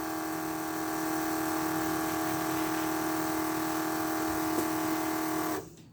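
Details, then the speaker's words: Electric nitrous fuel pump on a Trans Am, previously holding 9 psi, whines steadily then cuts off cleanly without pulsing as the fuel pressure safety switch shuts it off at 7 psi while being adjusted. "Well, it didn't pulsate. It shut straight off. So it shut straight off at 7."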